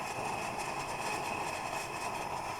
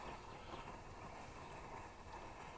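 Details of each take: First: Plumber's pot (smelting furnace) burner giving a steady, even hissing roar with no sputter or pulsing; normal clean burn. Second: Plumber's pot (smelting furnace, pressurized camp-stove type) during preheat: steady roaring hiss with uneven flutter and flaring flame because the generator isn't hot enough yet, so it shoots raw fuel instead of vapor.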